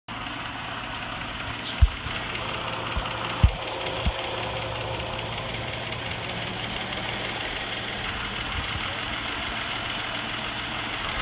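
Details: 2006 Cadillac CTS 3.6L SFI after timing chain replacement; fast light ticking over a steady idle, quicker with revs but not louder, loudest after an hour of running yet audible at cold start; cause unclear.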